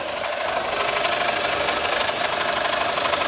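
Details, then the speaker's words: 2007 Honda Odyssey Touring 3.5 at idle with many noises on the pulley/accessory belt side: harsh metallic rattle and whir pulsing about three times a second. Traced to a damaged timing belt tensioner, which was replaced along with the timing belt. "ahora tenemos un problema con una honda odyssey touring la cual tiene demasiados ruidos en el lado de donde van todas las poleas la banda de accesorios"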